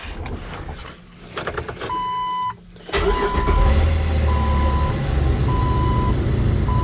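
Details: 2004 Jeep Wrangler 4.0L six-cylinder, code P0340, previously hard to start, after cam sensor replacement: warning chimes, short crank, engine catches right away and settles to steady idle; starting normally, much better.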